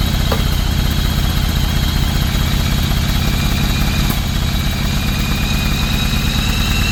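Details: 1995 Yamaha Virago 1100 after 12 years sitting, carbs cleaned, first start: low steady V-twin thump at idle with even firing and no misses; normal idle.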